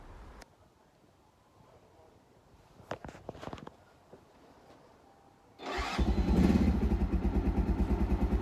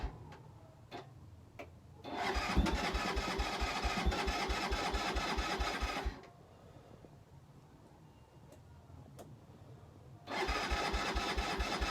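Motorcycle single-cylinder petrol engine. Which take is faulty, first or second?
second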